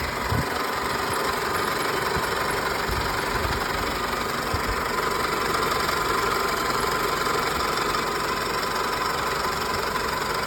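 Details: 2000 Toyota Camry at idle with the original AC compressor engaged and blowing cold: a thin, high squeak runs constantly over the engine note. Source unknown.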